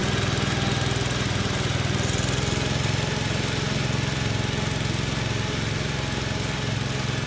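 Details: Commercial 12 mower with a rusted, holed deck, running: a loud engine drone and blade whir over a coarse shaking rumble; heavy deck vibration, and the owner wonders whether something is bent, so the cause is unconfirmed.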